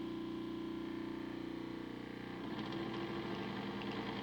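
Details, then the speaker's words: Small motor in homemade decoder tester sparking at 50% throttle, one amp: steady hum turning rough and crackly halfway through; owner suspects cooked motor frying decoders, plans to replace it. "yeah that doesn't look good eh she's sparking well um interesting so it's sparking at fifty percent one amp"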